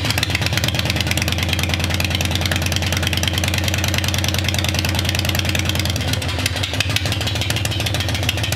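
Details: 1996 Harley Heritage Softail Nostalgia Evo V-twin, about 20,000 miles, sat for years, just revived: steady lumpy cold idle holding even without stalling or knocking, normal.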